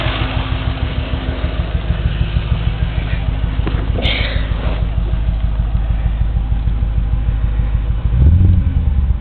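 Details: Audi S4 4.2 V8 at idle: deep, mostly even burble with a slight stumble, a misfire that the Sealey VS8650 diagnostic tool traces to cylinder 6. Coil packs had been replaced under recall; new spark plugs cured it.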